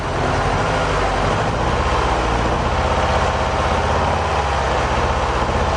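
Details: Mercedes 190E 2.0 M102 after the fuel pump change, warming up: steady, even low idle with a smooth, regular beat and no misses, knocks or hunting. The engine is idling normally.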